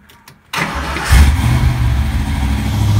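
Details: 1988 Ford Mustang GT V8, mass air conversion with BBK meter, new distributor, cap, plugs and 9 mm wires, timing 10° BTDC: short crank, catches cleanly and settles into a steady deep idle without misses.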